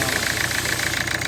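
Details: Hyundai i20 with an ECM problem, misfire and no power. The idle is uneven and lumpy, with regular dropouts several times a second: a persistent engine miss.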